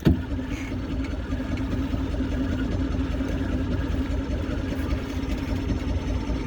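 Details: Vintage outboard on barn-find boat, first start in about 20 years, on choke: starter churns steadily for seconds with no catch; cranking, no start, apparently not getting enough fuel.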